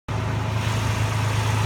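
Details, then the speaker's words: Toyota Tacoma one week after a frame replacement at the shop, idling with a rapid, raspy puffing over a deep drone from an exhaust leak present since the first day out of the shop; owner doubts it was checked on the hoist. "is the video of the exhaust leak that I have on my truck. 1 week out of the shop. This was leaking on the first day."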